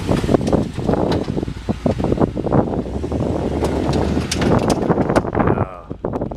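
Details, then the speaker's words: BMW E39 M5 creeping in reverse after a loud bang in a parking lot: irregular heavy clunks and knocks, partly buried in wind, from the driveline at the end of the driveshaft; a failed CV joint is strongly suspected. "that's drive line that's that's got to be that thing at the end of the drive shaft"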